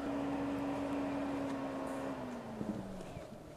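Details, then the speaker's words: Autoterm Air 2D diesel heater in a 1988 Mercedes 310 T1 van, after being switched off: the steady fan whine drops in pitch and fades away, about two to three minutes to fully stop; normal shutdown cycle. "okay now it's quiet so it took about two or three minutes until it really finally shut down"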